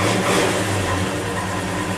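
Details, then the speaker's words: Cold 1963 Chevy 1-ton flatbed truck after sitting overnight at about 48°F, no choke, throttle feathered; low, lumpy idle wavering in level, engine unhappy until a little heat builds. "sitting overnight. You can hear she's not happy. A little heat built up into it."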